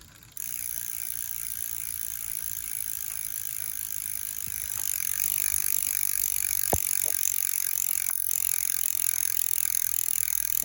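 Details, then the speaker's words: Ride1up e-bike rear hub after removing internals: light fine pawl clicking while freewheeling over a steady hiss, no grinding; previous hub noise mostly gone, only the faintest trace. "But it mostly seems gone. Will it stay gone? I don't know. But right now, something worked."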